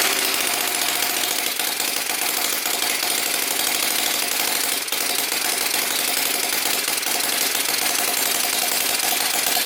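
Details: Small Whippet flathead model engine on a test stand with water pump running: fast, even, high-pitched patter holding steady throughout, faint pump hum behind; running healthily.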